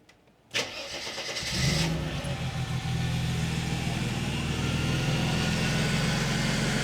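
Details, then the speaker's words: Mercedes 300E W124 that stalls once warm after about 10 minutes; cold start after replacing crank position sensor, spark plugs, leads and distributor cap, battery charged after long sitting; quick crank, catches at once, settles to an even steady idle; normal cold start. "So it started straight up, and I'd expected it to because it was cold, and it's always done that."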